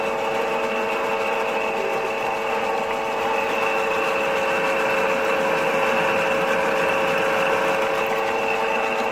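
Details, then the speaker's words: Lexus/Toyota 2GR-FE: fast steady sewing-machine metallic clatter at startup idle; worn intake camshaft VVT-i phaser whose lock pin cannot lock, letting it rattle. "из-за того же самого она не может блокироваться происходит ваш треск при запуске"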